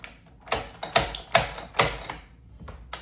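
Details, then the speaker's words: Water-cooled Russian system, setting headspace on a dummy with the 0.008 shim removed from the 0.020/0.010/0.008 stack: sharp clicks as handle cycles, crisp final click as lock goes fully into battery; correct headspace, light resistance. "means that we're locked. Try it one more time. That's about right. You don't want to be fighting it. You just want light resistance."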